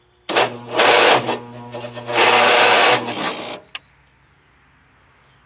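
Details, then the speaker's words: Agway GT 1846 garden tractor, cold overnight, battery previously jump-started; uneven labored cranking in strained bursts that never catches, slow weak starter, owner suspects starter, battery to be changed. "it seems like a weak starter I might need to change the starter not very good"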